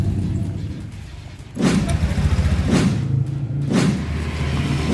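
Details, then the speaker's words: Honda Vario 125 LED scooter after engine teardown and rebuild for oil starvation, smoke and rough noise: smooth, even run with steady low beat, no knocking, rattling or ticking, smoke gone; normal running. "Nggak ada suara kasar, suara ngelotok, suara ngicrik, atau suara tek-tek-teknya itu udah nggak ada, udah aman, udah beres ya."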